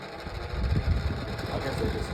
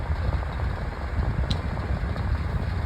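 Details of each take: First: Old 9-inch Dayton oscillating table fan on low speed: fan hum with an irregular scratchy rasp, blade scraping from end play on a worn shaft; it may need more oil. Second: Old 9-inch Dayton oscillating table fan on high speed after the switch knob was oiled with machine oil: steady low rush of air and even motor hum, then a quieter run; normal operation moving plenty of air.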